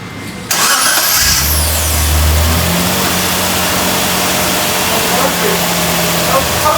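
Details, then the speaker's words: Mitsubishi 3000GT after replacing the starter that had been making grinding noises: starter spins briefly and engine catches at once, settling into a steady even idle with no grinding; normal start. "Yeah! First actual mechanical job. Let's go! Let's go! She started right up."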